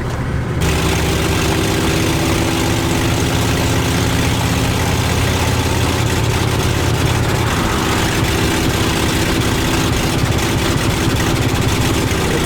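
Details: 1977 motorhome engine at running temperature on 91-octane premium fuel, idling with a low rumble that wavers and spits now and then instead of running smoothly; sputtering idle, cause not yet found.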